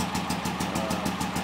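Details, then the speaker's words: Performance VW engine with a big cam and Kadron Solex H40/44EIS carburetors, just started cold before warm-up and idle mixture adjustment: uneven, loping, shaky idle of about six to seven pulses per second; rough idle. "little shaky like we were talking about it's got the big cam in it pretty big motor"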